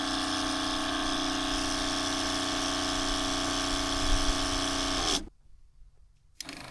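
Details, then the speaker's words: Newly fitted quieter replacement water pump in a Crusader caravan, after leaking joints were re-taped: even, steady motor hum with a fine pulse and no rattle, shutting off near five seconds. Much quieter outside than the noisier factory pump. "you know, I guess it's just looking after your neighbors when you are camping or when you're sitting outside and and someone's inside using the the water pump. Huge difference outside."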